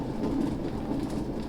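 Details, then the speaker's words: 2011 Nissan Sentra jacked up, parking brake off, back-right wheel turned: low, continuous rumbling drone from a worn rear wheel hub bearing, before replacement. "Your wheel is not supposed to make that noise."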